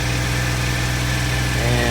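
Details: 2008 Jeep Wrangler JK during alternator test, held at 2000 rpm or above: steady even drone with no knocks or misses; alternator charging 14.25 V, within spec; sounds healthy.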